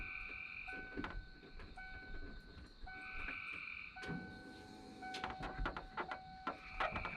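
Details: 1993 Ford F-150 after wiper motor replacement, wipers on low: light whirring hum with even sweeps about once a second, motor running smoothly; normal operation after repair.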